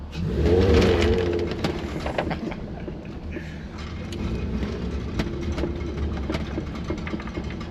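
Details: MK4 VW R32 after DSG conversion and driveshaft repair, driving through the gears in manual paddle-shift mode: irregular hollow clunks from under the car.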